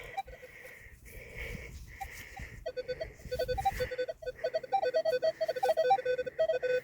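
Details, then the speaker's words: Minelab Equinox 800 metal detector in a UK field, earphones not working: irregular mid-pitched beeps stutter at about three to four a second with no steady target tone; detector chattering. "as you can hear my machine chattering because oh because uh damn earphones have packed up"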